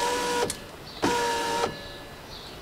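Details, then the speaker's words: BMW passenger window, lowering test after the window regulator was replaced. The motor runs in short half-second bursts with pauses between; the glass drops an inch or two, then freezes. It didn't do this before; cause unclear. "It goes down only in steps for some reason. It goes down like an inch or two down, and then it freezes."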